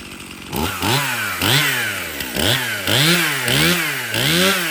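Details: Stihl MS 271 50cc chainsaw after cleanup, service and new chain: crisp two-stroke blips, about seven quick rev-ups and drop-backs in four seconds, clean and even with no bogging; the saw runs healthy.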